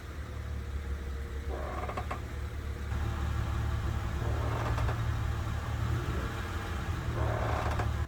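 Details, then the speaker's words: 2001 Honda Odyssey, engine running, parked: drawn-out groaning creak three times, each as brake pedal is pressed, from rear drum brakes, louder near the rear drum; suspension ruled out; fixed by lubricating brake shoe contact points. "t we go to press the brake pedal while the van is running and being that it does it while it's parked it eliminates any possibility of it being suspension related so we're going to focus our attention solely on our rear brakes and the more i listen to it the more it sounds like something straight out of a horror movie"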